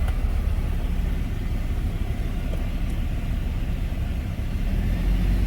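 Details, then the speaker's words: Hummer H3, about 220,000 miles, on the lift, just engaged four-high: steady even low rumble, no clunks or grinding; four-wheel drive operating normally, speedometer working again. "all right so for now it says four high it just engaged"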